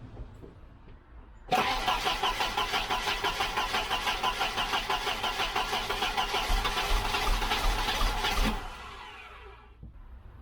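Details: Volvo 745 wagon B230F after fuel sender swap and tank cleaning, fuel pump fuses found missing; starter turns the engine over at about three beats per second for seven seconds but it never catches. Crank, no start.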